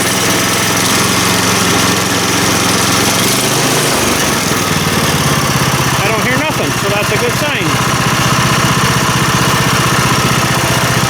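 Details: Small engine test-fired after reassembly to check that parts line up, running at a steady, even beat with a brief disturbance midway and no knocks or grinding; normal running.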